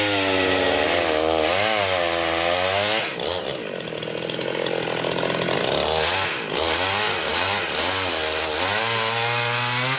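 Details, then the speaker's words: Rebuilt Husqvarna 51 chainsaw cutting a tree: crisp two-stroke scream dips under load and recovers cleanly between cuts, no bogging or stutter; healthy, owner to check the bar oiler. "running good I need to double check the oiler on that"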